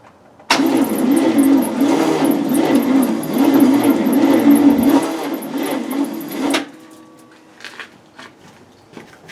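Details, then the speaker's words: 1972 Cadillac hearse engine, sat abandoned since 1995, first start attempt in 29 years, no mufflers: slow, labored, uneven cranking without catching; starter barely turns it, weak juice suspected, timing still needs adjusting. "does well it did something it moved it sounded you know pathetic juice I have to play with the timing too of course but it's close"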